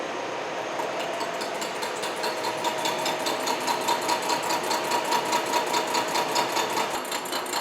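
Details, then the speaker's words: Horizontal milling machine side milling bronze connecting-rod bearing castings for a Vulcan steam locomotive, 0.100 in per pass, finish cut; regular light metallic tinks a bit over two per second as the cutter side may be barely touching. "pass all right and again here I'm just going to let this one go all the way across this will be a finished surface and I hear just a little bit of a tin down here where that side of the cutter may be just barely touching it"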